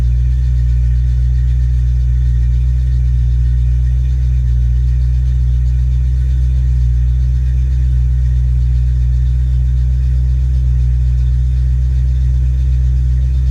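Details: Ford Mustang 5.0 mass air V8 running a chipped A9L computer under test: revved and held, steady deep drone at raised revs with no misses, stumbles or breakups; pulls clean.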